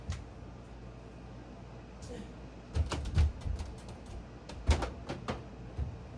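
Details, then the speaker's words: Home furnace just restarted after filter change, blower previously noted for a loud high-pitched whine at full blast: low steady hum, then irregular hollow clunks in two clusters at startup; owner unsure of cause, suspects a flapper/damper. "I don't know what that clunking is. Gotta figure out what the clunking was."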